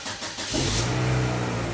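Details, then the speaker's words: 2005 Chevy Aveo 1.6L E-Tech II four-cylinder after timing belt and water pump replacement: cranks briefly, catches and settles into a smooth even idle, no more rattling; normal start and idle, timing correct. "give it a little gas oh perfect no more rattling no more noise she seems to be timed just [Music] perfectly oh just as smooth as silk that's great"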